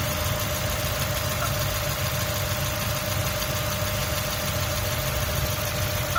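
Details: 2003 Mazda Miata MX-5: steady idle with a thin high chirp riding on top at even pitch; chirp at idle, source not pinned down.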